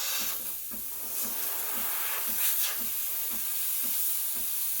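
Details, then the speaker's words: Breville Barista Express BES870 steam wand at full pressure while steaming milk: steady steam hiss with soft pump pulsing about twice a second, indicating normal operation. "so after you hear the pump pulsating that's about full pressure"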